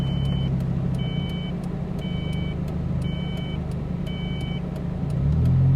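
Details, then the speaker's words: Old Ford Probe on a long highway drive: short high beeps about once a second over steady road and engine drone. A dash warning chime whose cause is unknown; the car was shut off and restarted. "then it started to beep beep beep beep we're gonna get killed here"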